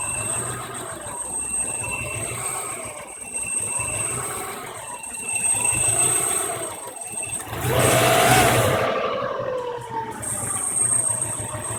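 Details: 1993 EJ22 engine: uneven, loping idle of about three surges a second with a light rattle on top; clear rough idle.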